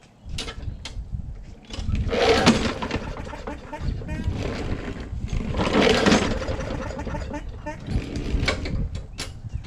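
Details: Lawn mower bought not starting, choke bulb primed: two pull-starts spin it with a dry whirr but it never fires; kill switch grounds the ignition, so no spark; cranks but no start.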